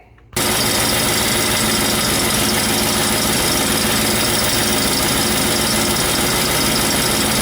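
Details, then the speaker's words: 1991 Mustang GT after injector rebuild and engine teardown/reassembly, mid pipe not fully bolted up: loud raspy idle with fast sharp puffing ticks; suspected severe exhaust leak at header flange where it meets the head pipe, not confirmed. "severe exhaust leakage on this side sounds like at the header flange where it meets the head pipe"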